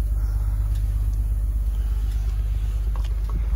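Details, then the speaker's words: Auction diesel truck with what looks like a freshly installed turbo and new hose, started right up: low steady rumble, even beat, no knocks or misses; healthy idle. "I don't know, man. The engine sounds good. It started right up."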